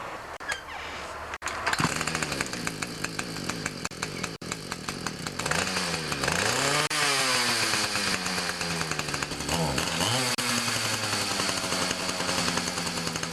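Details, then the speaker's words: Ryobi 31cc two-stroke mini cultivator before carb adjustment: it revs high and thin, then bogs and surges each time it is throttled up and tends to die. Lean running suspected. "That's what it does. Now I think the problem is that it's running a bit lean. You can kind of tell by the sound of it."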